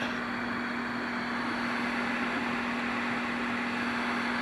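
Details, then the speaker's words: General Stonewall Jackson radio amplifier, after replacing a capacitor in the power supply on the amp board (not the audio-section caps): faint steady hum and soft hiss with no thumping; the thumping is cured. "all right still got some things to do to it but you can clearly hear there's no thumping that problem has been remedied not by those caps in the audio section unfortunately it was uh something in the power supply a capacitor in the actually on the amp board"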